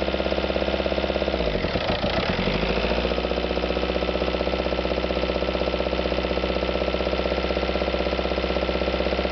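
Diesel idling with a rapid, rough, regular clatter about four per second riding over the low rumble; odd noise, cause unclear.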